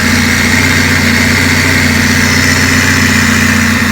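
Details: Honda Civic four-cylinder first start after a machine-shop-rebuilt cylinder head and valve lash adjustment; steady, even idle with a smooth hum and no ticking or misses, sounding healthy.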